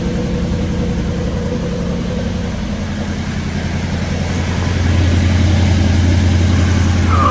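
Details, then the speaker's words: Restored 9C1 car after new exhaust clamped and lowered: deep, steady burble with even lope, no misses or rattles; smooth idle, much nicer, healthy exhaust. "I'm going to throw some clamps on everything drop it down and see what he sounds like oh so much nicer"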